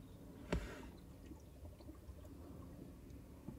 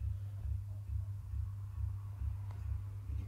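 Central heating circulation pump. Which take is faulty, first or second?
second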